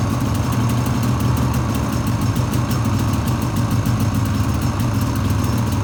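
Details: 2013 Polaris Rush 800 two-stroke, first start-up after rebuild: loud low idle with fast metallic ticking, owner suspects noisy starter drive; blown head gaskets later found; abnormal startup noise unconfirmed.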